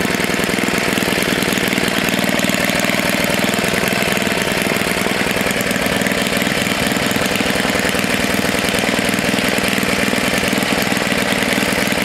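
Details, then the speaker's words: Tecumseh HS40 small engine, long unused, restarted after a stuck throttle plate and deliberately held at low rpm; a steady, even low-speed putter of about four beats a second with no misses or surging. A normal idle. "usually when i awaken engines i don't like them to be at full blast i like to let them be low rpm for a little while"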